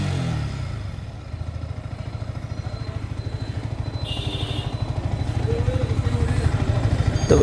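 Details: Yamaha R15 M BS6 at 27,714 km after repairing the badly worn chain/crank parts and refitting the magneto side: even, steady exhaust pulses quicken slightly with revs, with no ticking or rattle; the engine sounds healthy.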